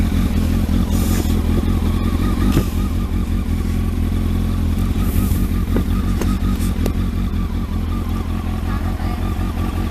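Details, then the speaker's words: Kawasaki ZX12R after a clutch install, started on a freezing day with the choke on and warming up before being put in gear. Deep, even engine note with a few throttle blips and no clatter or slipping; it sounds healthy. "H take your time Ida that sounds really sweet doesn't it"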